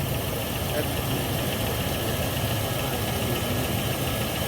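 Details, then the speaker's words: A smoking Chevy 5.3 V8 in a truck, just started outside, fired right off and idles with a steady, even low rumble. No ticking or knocking is heard despite heavy exhaust smoke. "Yeah. And it, no ticking, no knocking, no nothing. That sounded good."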